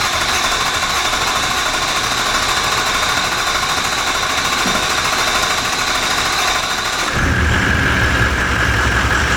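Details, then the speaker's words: V8 diesel Toyota LandCruiser after starter motor replacement, with air in the fuel system, cranks strongly and evenly for about seven seconds, then fires and settles into a steady clatter; the new starter works. "I'm expecting it's going to crank for a while because of the amount of fuel that came out. There's definitely air in there. At least it cranks."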